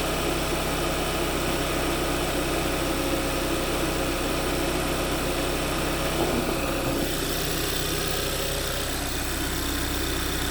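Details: Kia engine at 110,000 miles, 8 years old, idling cold in the first 2-3 minutes after start-up; busy metallic rattle over the hum from a failing turbocharger bearing.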